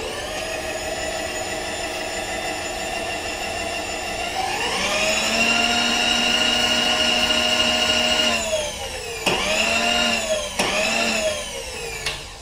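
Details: Bridgeport mill X-axis power feed, newly installed and first test run for better surface finish and consistent feed rates: steady motor whine climbs as feed starts, holds even pitch, dips and recovers on reversal; feed runs smoothly, clearing the mounting bracket.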